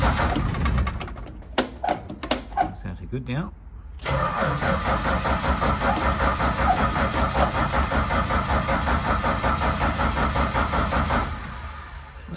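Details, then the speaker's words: Valiant Charger VH during restoration: several cranks and catches, runs roughly about seven seconds then dies; fires but stalls, suspected running out of fuel. "sounded like it was running out of fuel again"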